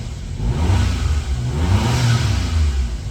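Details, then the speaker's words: 1996 Suzuki Jimny JA22W with K6A turbo engine, cold start with a slightly high idle. A smooth throttle blip rises and falls evenly, with faint turbo and intake rush, and drops right back to idle: normal rev. "And you probably can't hear in the video, but you can kind of hear the turbo just a little bit and the intake sucking in some air, so. Right back down to idle."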